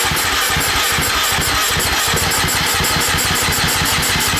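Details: KTM TPI two-stroke, fresh engine, long-sat bike, freshly charged battery, strong spark: fast even cranking pulses about five a second with hissy clatter, tries but never catches; fuel pump runs only faintly, owner suspects it isn't pumping enough.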